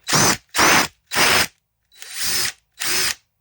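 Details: Old, worn brushed DeWalt DCF885 impact driver: five short clean bursts of high whir at full speed, each spinning up and stopping crisply, no grinding; runs healthily.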